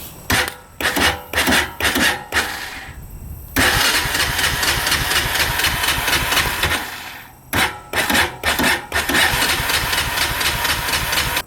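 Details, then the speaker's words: 1998 Honda Foreman 450 ATV, 2,073 miles, 524 hours, choke out: repeated cranking bursts about two turns a second, a few weak puffs, never fires; cranks but won't start. "you crank it, and it will puff over a couple times, try to start, but it just won't start."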